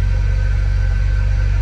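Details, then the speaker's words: Jeep Rubicon with 1700 miles, suspected rod knock and oil pressure loss, cold start after sitting overnight, slow to start: idles with low even rumble, no knocking or ticking, holding oil pressure. "it's running and it's not knocking and it's not clicking so that's good and it's holding oil pressure"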